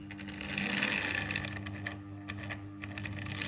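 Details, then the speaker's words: Tri-ang R.253 Dock Shunter model loco, unused about 30 years, after oiling: soft fast ticking whirr of motor and gears at slow, slightly fluctuating speed; relatively smooth runner at low speed, runs forwards and backwards well. "yeah it does run fairly slowly if you wanted to and it's a relatively smooth runner"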